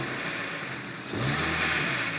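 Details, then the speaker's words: Cheap Ford Focus, said it might blow up: revs rise and fall with a light metallic rattle on overrun; source unclear, possibly the engine top end or a pulley; owner has heard worse. "There's definitely a bit of a rattle on an overrun there, but I've definitely heard worse."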